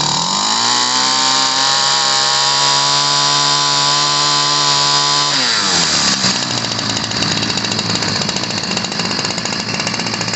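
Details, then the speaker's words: 1990s Ryobi 725r two-stroke gas trimmer after new fuel lines and filters, running rich before carburetor adjustment: high buzzy scream that drops and burbles unevenly; the high-speed screw nearest the choke arm needs adjusting. "but it's running rich so we're going to be adjusting the carburetor"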